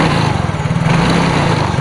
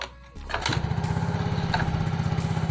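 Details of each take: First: Yamaha Mio J scooter that won't return to idle: the engine holds a fast, steady buzz and rpm keeps climbing after throttle is applied. Suspected cause is the TPS or a dirty throttle body. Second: Yamaha Mio J injected scooter, which previously would not hold idle, after its injector and throttle components were cleaned and connectors and hoses rechecked: the engine starts quickly and settles into a steady, normal idle.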